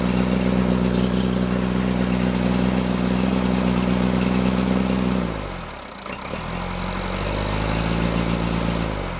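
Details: Freshly rebuilt Cummins diesel in Case 1840, new injectors, rebuilt pump timed 12° BTDC: uneven loping beat about three or four per second, dipping as revs drop; misfire, balance test suggests cylinders 1 and 2, cause unconfirmed.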